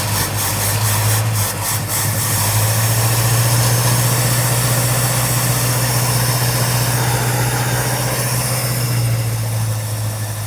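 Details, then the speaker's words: 1969 Ford Mustang, 59K miles, sat 30+ years: run at a fast idle on fuel poured into the carb bowl, a steady deep rumble with no lifter rattle. Owner suspects the carb jets are clogged. "And the lifters ain't even rattling. What in the world? The jets may be stopped up on the carb, and it's just running on what I'm putting right down in it."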